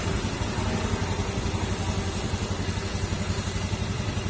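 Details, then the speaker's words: Honda Beat FI scooter idling after CVT repair of cricket-like noise from worn rollers and slider pieces, dirtied by leaking crankshaft oil seal still to be replaced; even low putter, no belt-side chirp, normal CVT. "Tapos try natin siyang panda rin kung maingay pa rin. Yan, nawala na po yung ingay ng panggilid niya."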